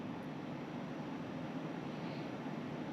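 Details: Newly installed Pioneer Diamante 9k ductless mini-split indoor unit in a woodshop, first startup: steady, even airy whoosh with a soft low hum, no rattles or ticks; it dropped the room 4° in 5 minutes, working fine.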